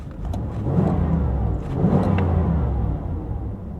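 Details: 1987 Trans Am GTA or 1988 IROC Z28 on a safety-check drive, just under a quarter tank of fuel: two clean, smooth rev swells that pull strongly and evenly without misses or rattles; normal acceleration.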